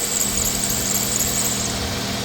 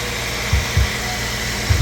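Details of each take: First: 2002-06 Nissan Altima 2.5L at idle, worn belt: steady, piercing high squeal over a calm idle that stopped when water was put on the belt, confirming serpentine belt squeal rather than bad pulleys. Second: 2002-06 Nissan Altima 2.5L after replacing a worn, noisy serpentine belt: even idle hum with no squeal or chirp from the belt drive; noise gone.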